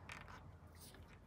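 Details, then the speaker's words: Removed Tesla Model X air shock flexed by hand before lubricating: faint dry creak with a few slow groans; owner suspects it needs lube and plans to inject lubricant, cause unconfirmed. "seems to be you can hear a little creaking yeah you hear that so yeah I might might squirt a little Lube up in there"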